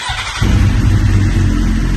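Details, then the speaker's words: Police-auction, neglected K9 Suzuki GSX-R1000 with 52,298 km and unknown fuel, on a stand with clutch pulled in: brief crank, catches cleanly and settles into a steady low rumble; runs, with fuel injection, fuel and neutral lights on. "Like me. It runs. We've got a fuel injection light on, fuel light and a neutral light."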